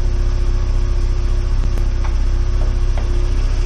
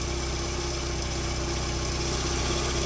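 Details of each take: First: 1992 VW Corrado 16v 2.0-litre, about 27 years old: steady, even cold low idle hum with only faint light ticks, a tiny rattle noted, no knock or stumble; a misfire reportedly appears once warm at 80 degrees. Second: 1992 VW Corrado 16v 2.0-litre petrol at idle: light, fairly even tick-rattle around four per second over steady idle; small rattle from somewhere, source not pinned down.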